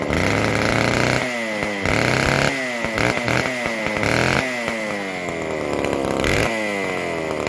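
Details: McCulloch Super Pro 125c chainsaw on its fixed-jet carburetor, mixture turned out slightly, after a base gasket change and fitting a modified new-old-stock muffler. Revs climb and drop cleanly and responsively, loud and raspy because the muffler gasket is still missing. Normal running.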